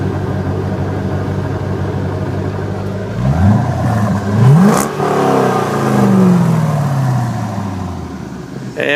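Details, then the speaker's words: 1998 Chevy Corvette Pace Car V8, 102,905 original miles, no codes, mic close to exhaust with cooling fans running: deep throaty rumble rising and falling cleanly with throttle blips, slightly louder than factory mufflers; healthy. "as you can hear, it's a little bit louder than the factory mufflers are, but it's not obnoxious by any stretch of the imagination. It has a nice deep throaty tone to it."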